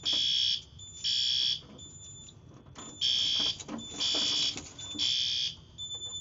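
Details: Yearly fire alarm system test, BG-12LX pull station with addressable module pulled; shrill horn bursts about once a second with a fainter tone between: fire alarm sounding.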